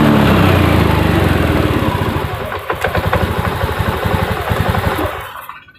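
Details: Honda Beat FI/ESP injection scooter whose idle air screw adjustment has no effect, tested after IACV check: starts into a slow, lumpy putter around four beats a second, sagging and fading out; idle speed too low.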